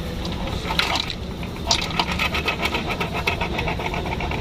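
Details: Diesel Jeep Compass with newly replaced clutch set and pressure plate, engine running, clutch pressed: light whir and loose, uneven ticking, said to be normal for this model.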